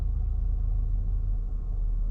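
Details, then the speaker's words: 2014 Toyota Camry, 207k miles, warmed up: very low, lumpy idle shaking hard, then stalling; cause was oily carbon buildup at the throttle body butterfly valve restricting airflow, fixed by cleaning. "Real low idle. Shaking real hard, and oh, and she shut off."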